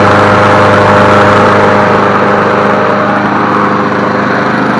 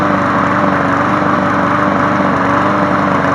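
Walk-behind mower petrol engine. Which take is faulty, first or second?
second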